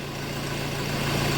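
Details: 2007 Honda CR-V 2.2 diesel after the alternator was restored and its clutch pulley replaced, charging at 15.44: even, steady idle with a smooth low hum and no knocks, whines or rattles.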